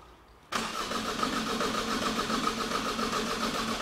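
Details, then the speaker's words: 2008 Opel Astra H 1.7 Z17DTH diesel with a replaced engine, crank no start and no codes: the starter spins evenly at about 3.5 beats a second without firing. The cylinder 1 and 4 injector connections are swapped. "and then I realized hold on a second like injector number one is injector number for injector number four is injector number one well that's weird"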